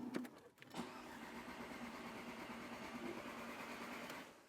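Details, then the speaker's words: 2001 Audi TT 1.8T after full engine rebuild with forged internals and turbo upgrade, not run in about 5 years: even starter whirr, cranking with the fuel pump disconnected to build oil pressure before the first start. "so we're getting some oil pressure now I think it's time to hook the fuel pump up"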